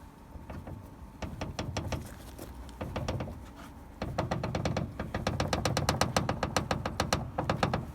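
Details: Daewoo Lanos/Sens hood knocking while driving: loose, irregular clatter in bursts over low road rumble; owner suspects the hood hinge area, cause not yet found.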